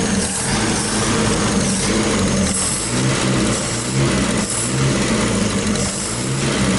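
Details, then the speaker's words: Opala: rough, uneven rumble that won't pick up revs, strange noise when accelerating, odd smell; carburetor suspected after cleaner use, not confirmed. "Tá fazendo um barulho estranho quando acelera, cara."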